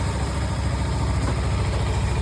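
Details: Kawasaki Ninja 300 after throttle body cleaning, which fixed a cold-start problem; starts first try: low even idle with steady beat, no misses or hunting, settles straight away. Normal idle.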